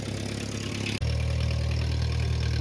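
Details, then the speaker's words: 1949 Ford 8N flathead tractor, auction buy, first start with carb settings, timing and gap unchecked: low steady idle with faint puffing tick; owner suspects exhaust leak at the known leaking flange. "Sounds like there might be an exhaust leak. I know that flange is leaking though. Maybe that's just it."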